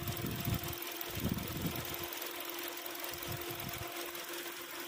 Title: Engine rattling noise #hyundaisonata DN8 2.5 #dismantle